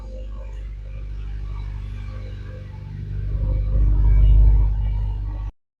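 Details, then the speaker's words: Honda CR-Z started after valve clearance adjustment and spark plug change: a smooth, even idle that swells steadily with a throttle blip, and the previous ticking is gone. "Okay, gonna start it up after the valve clearance adjustment. I don't hear the ticking noise anymore."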